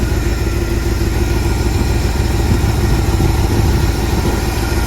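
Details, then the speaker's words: 1979 Jeep Cherokee, AMC 360 V8, Quadra-Trac 4WD, first start after sitting 3-4 years, power steering fluid found bone dry: low, even burbling idle with a steady rumble, no ticking or knocking; idles smoothly. "That's a smooth running little 360, guys. That's pretty good for not having ran for 3 years. Pretty happy with that."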